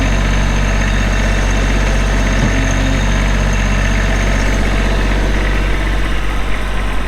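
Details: Kubota B7500 4WD hydro tractor, 21 HP diesel, 1,249 hours, LA302 loader, 60-inch belly mower: steady even low diesel rumble at idle with a regular firing beat, no knocks or misses; healthy.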